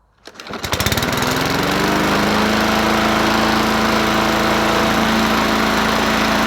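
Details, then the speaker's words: Bolens 21-inch push mower 11A-B0BL765, engine of unknown origin, just primed and started: catches and climbs fast to a hard, high, steady scream well above mowing speed; running too high, owner suspects valves need readjusting. "now uhoh running too high I did adjusted to it so I wouldn't do that but I was trying to run"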